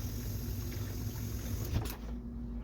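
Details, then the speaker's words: Whirlpool dial-type dishwasher after replacing defective water inlet valve: soft steady hiss of water flowing in under low hum, cutting off near end; now filling normally. "And now you can hear the hissing sound. The water is flowing already and it's filling up the water."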